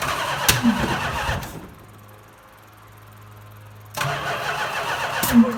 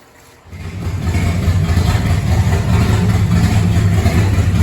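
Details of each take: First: 1970 Chrysler Imperial, 440 big-block V8, parked since 1993: starter cranks in short bursts with some sharp pops but never catches; no-start, fuel pouring out of the leaking mechanical fuel pump, later replaced with an inline electric pump. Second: 1970 Chrysler Imperial, 440 big-block V8, parked since 1993, running with open exhaust after the restriction was removed: fires after half a second and settles into a loud, deep, even rumble, no misfire heard; runs normally.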